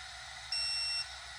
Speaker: Everything that's nice about these torque wrenches is it shows you where you're at, and as soon as you get to it beeps and goes green.